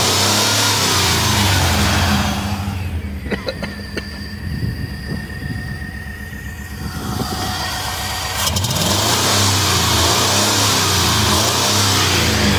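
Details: Chevrolet Suburban with no compression on cylinder four (plug oily, others clean), trying Sea Foam before teardown, MAF unplugged: uneven idle with regular stumble about four times a second under a low drone, rough with some smoke; dead cylinder.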